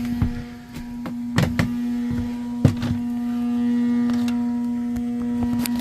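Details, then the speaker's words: 2007 residential AC unit, very loud and not cooling. A steady low electrical hum with nothing spinning up, plus a few handling thunks. The tech hoped it was the capacitor but suspected the blower motor; the motor is powered but seized. "I got a feeling it going to be the blow motor though hope it's the cap but I don't know"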